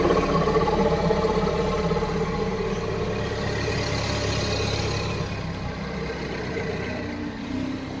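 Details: Mini Cooper S N18 engine (R56/R60, possibly ALL4) idling: fast, fairly even ticking about four times a second over a mid-pitched hum; tagged HPFP but cause unidentified.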